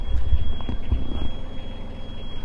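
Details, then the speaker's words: Boat engine starting after rebuild while checking the plastic water sensor for the leak alarm: steady high-pitched alarm holds over cranking and catching; alarm keeps sounding though no water found, sensor possibly broken (suspected, not confirmed). "it's still going it's up going off and it's not watering"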